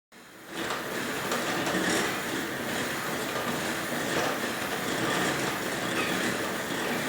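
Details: Merax elliptical trainer, very noisy after one week of use: loud, fast clickety-clack clatter, about four knocks a second, while in use.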